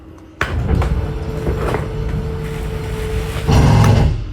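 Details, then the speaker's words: 2022 Highland Ridge Mesa Ridge 241BH travel trailer slide-out: motor hums steadily, then a loud rough gear grinding as the room reaches full extension; sounds scary but is normal end-of-travel noise. "you hear the little gear grinding noise you know you're fully extended"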